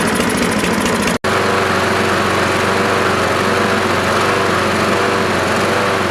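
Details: Troy-Bilt 12AV566N011 mower after cleaning carburetor bowl and main jet and flushing fuel through needle valve: small single-cylinder engine holds a steady even buzz with no surging or sputtering; normal running.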